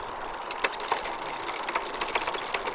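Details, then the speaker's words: Bicycle on a stand, pedalled by hand while shifting: sharp irregular derailleur clicks over steady chain whirr, with gears skipping and not seating correctly. The rear gear indexing needs adjusting. "you can hear that that's clicking that's not quite right on the socket so it all needs adjusting"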